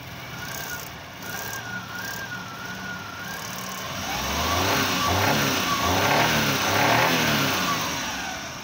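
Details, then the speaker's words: Suzuki Mehran petrol engine with starting and current-missing issues, running: a light, wavering chirp over the revving engine from the distributor shaft, which must be opened and inspected. "Distributor सली की आवाज आ रही है हल्की चुर चुर की इसको खोल के देखना पड़ेगा क्या मसला है"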